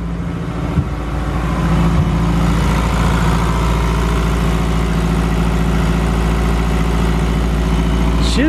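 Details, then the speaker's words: Honda K-series fully forged engine swapped into a Mazda FD RX7, on its first start with mild cams and lambda control on. A steady, even low rumble with no misses, knocks or ticks; a smooth, quiet, healthy idle. "so smooth man what nice and quiet too obviously i didn't go for big lumpy cams or anything like that"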